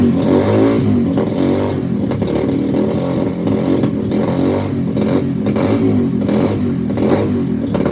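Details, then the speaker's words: 2005–2009 Yamaha TTR-230 single-cylinder, on starting fluid after the pilot mixture screw was opened: lumpy, uneven revs that surge and sag instead of picking up, and the engine shuts off when throttle is given. The cause is suspected but not confirmed. "it just shuts off when you start giving it gas huh interesting"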